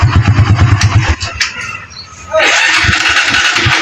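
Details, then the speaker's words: Barako 175 single-cylinder motorcycle with hard starting and popping, spark plug already replaced without fixing it: uneven thumping falters and cuts out, then a fresh start attempt pops roughly; lean air leak at the intake. "Ayan oh. Nagha-hard starting."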